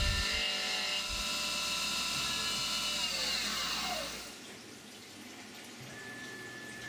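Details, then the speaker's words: CNC finishing pass of five thousandths on the floor of an AR15 high-rail gas block after two roughing passes: steady, high, even cutting whine with no chatter, spindle winding down smoothly; clean, normal finishing cut. "and then i come in and i just do a finishing pass just on the floor five thousand finishing pass just to clean up that floor"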